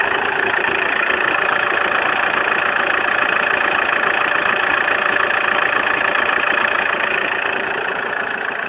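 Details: Opel Zafira engine at steady idle with a faint, regular tick about three to four times a second riding over it. Unidentified engine noise at idle.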